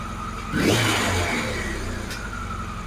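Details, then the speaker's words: Carburetted engine on multi-gauge carb balancing; revs take far too long to drop, oil turned down while watching number four gauge (suspected inaccurate), revs drop then rise again: hunting idle, carbs still out of balance, mixture settings problematic. "that takes far too long to come off the revs we'll just turn the oil down a little bit watch number four gauge as we go and the reps have now dropped and they come back up again"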